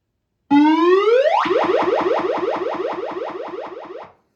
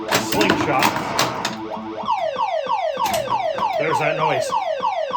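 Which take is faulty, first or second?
second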